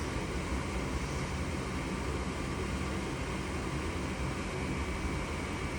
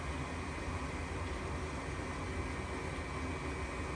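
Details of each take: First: Goodman furnace that flashed 3 blinks (open pressure switch), now lit after cleaning the pressure switch port and reseating its connectors; even steady burner and blower roar with low rumble, no surging or clicking. Normal furnace operation after fix. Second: Goodman furnace flashing 3 blinks (open pressure switch), restarted; inducer motor runs with steady fan whoosh but no igniter click or burner light-off, still giving 3 blinks. Pressure switch stuck open.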